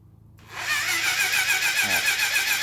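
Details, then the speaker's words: 1980 Honda CB750F barn find, cranked with plugs out. Even puffing from the open plug hole, strong enough to push a fingertip off, indicates good compression despite a low-reading compression gauge. "so when I put my fingertip on here it tries to blow it off y'all hear it that's telling me that um test compression right there guys"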